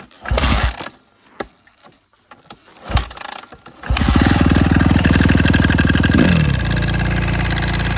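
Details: Suzuki RM-Z 250 four-stroke motocross bike on stand, checked for strange engine noise: cranks, catches, settles into fast even idle with faint ticking over the beat; abnormal internal engine noise, cause unclear.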